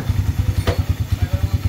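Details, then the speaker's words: Engine that suddenly got loud, after the non-original timing chain tensioner was replaced: quiet, even idle with steady low pulses about nine a second and no ticking or chain rattle; very quiet now, normal idle. "Ayun, may gasket pa. Start natin para sure. Tahimik na tahimik."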